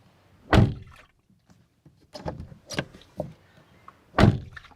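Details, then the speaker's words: British Leyland Princess 2200 automatic: heavy water sloshing with each swing of the door between dull thumps; the door cavity is completely filled with trapped water. "yeah the door is at the moment completely filled with water and it's sloshing around"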